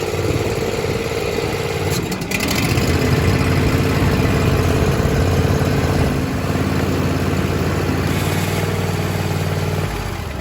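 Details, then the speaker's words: John Deere Z335E zero-turn riding mower, deck lowered, PTO pulled to run the blades with parking brake off: small engine runs steady, brief rev change as deck engages, then even hum; normal running with blades engaged. "We're gonna start it up, and then I'm gonna run the blades. You can take the emergency brake off, so you gotta remember to take your emergency brake off or it will shut down."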